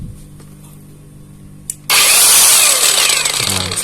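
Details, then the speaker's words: Kamolee cordless battery grinder switched on: loud, gritty, coarse high-pitched whir despite grease already applied to the gears. Rough gear noise before the smoothing fix. "หยาบมากทั้งที่เราให้เม็ดหรือจารบีที่เกียร์แล้วยังมีเสียงหยาบๆอยู่เลย"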